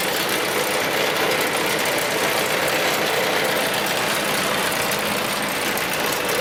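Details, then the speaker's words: Newly bought used tractor with engine trouble and no hydraulic pump; rough, uneven running with irregular stumble over harsh mechanical clatter, a definite miss. "And it's got a miss in it, definite miss in it, so it's got engine trouble and it's got no hydraulic pump."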